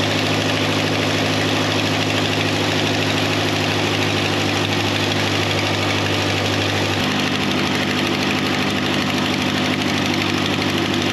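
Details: 1953 Ferguson TO20 antique tractor idling on a rebuilt Marvel Schebler carburetor after the leak was stopped: steady, even low putter with no misses or knocks, pitch settling slightly lower partway through; clean idle.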